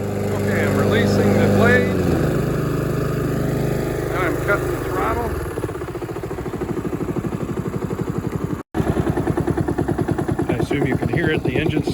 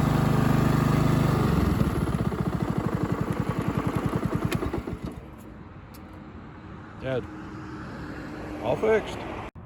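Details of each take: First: Honda HRX217 mower with GCV190 engine, blades disengaged: engine keeps chugging at steady idle after being switched off, then cuts out abruptly; intermittent defective kill switch plunger, needs replacement. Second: Honda HRX217 mower with a GCV190 engine, after replacing an intermittent kill switch that sometimes failed to stop it; blades disengaged. Pressing the plunger brings the single cylinder down to a clean, even shutdown. The kill switch now works normally.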